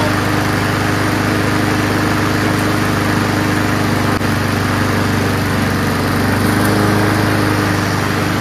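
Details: Honda Quadra Blade GCV160 RWD self-propelled mower, a curbside find, started on fresh gas with oil full and good compression on the pull. Single-cylinder engine runs at a steady, even beat with no misses or surging; normal running.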